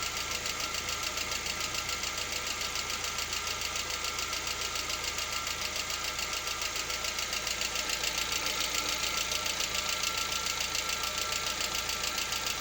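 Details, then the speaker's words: Lada Vesta, 64,000 km, warming up at about 50 °C: steady fast ticking knock, about two per second, over the idle; absent cold and at operating temperature, cause unclear. "Что случилось, вот непонятно. По мере прогрева проходит. То есть не совсем прогрелся, градусов 50 где-то."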